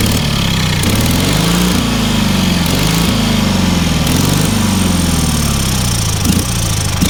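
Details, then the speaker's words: Engine on a free, long-neglected trailer-mounted man lift (cherry picker), water found in the oil and corroded intake, throttle half open; single-cylinder steady beat, speed swinging up and down as governor hunts, no misses; runs amazingly well for what it is. "Yeah. That thing runs amazingly well for what it is."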